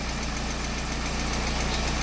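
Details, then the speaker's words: Peugeot 207 petrol engine idling smoothly with even low hum and steady pulse, after overheating repair: cylinder head planed, all gaskets replaced, crankcase cleaned of water mixed in oil; earlier P1336 misfire was spark plugs; normal idle. "E aí temos o Peugeot funcionando foi feita a pla do cabeçote trocar todas as juntas limpado o Carter que misturou áa no óleo e aí tá funcionando"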